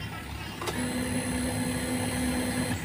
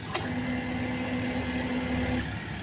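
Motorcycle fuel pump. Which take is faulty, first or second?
second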